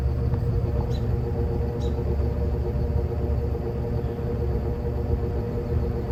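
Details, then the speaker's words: Evenflow by Robeson 20-inch box fan, needs cleaning, recorded from the back on low speed; soft even low hum with faint steady tone, no knocks or rubbing. Turning smoothly on low. "So, here's the operating sound on low. Put it to medium."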